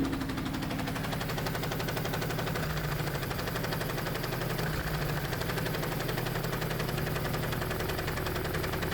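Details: Toy-Busa project car started while fuel pressure checked: engine catches and settles into steady, even beat with firm low drone, no misses or knocks; normal running.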